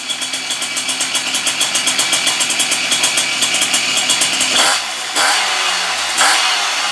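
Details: Puch Maxi E50 moped engine after rebuild with Polini kit and ignition, first start with oil on piston: two-stroke starts with a crisp, even buzz, revs up cleanly and drops back without stumbling; healthy, responsive.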